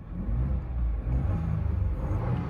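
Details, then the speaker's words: 2022 Ford Bronco rebuilt after a wreck, light rev in park during post-rebuild checks: deep, even rumble rising smoothly with no knocks, rattles or whistles, listening for the turbo coming on; engine sounds sound. "want to hear how that thing sound make sure that turbo coming on in"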